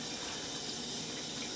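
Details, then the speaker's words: GE GXSF40H water softener in manual diagnostic cycle test, fourth (backwash) position: steady, even rush of water through the drain pipes with no surging or knocking; backwash flow increases and sounds normal. "now this is the backwash position and what you should see here now the water flow at your drain pipes should increase quite a bit and I can tell mine has just from the sound sounds good"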